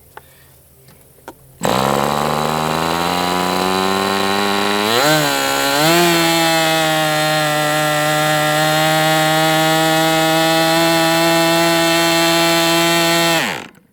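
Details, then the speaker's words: MDS 68 FS Pro four-stroke glow model engine on break-in, warming to operating temperature. Screams to steady high pitch, dips and recovers, then cuts out abruptly; sagging. Owner thinks it seems to overheat right away, unconfirmed. "Yeah, it's almost like it's just overheating right away."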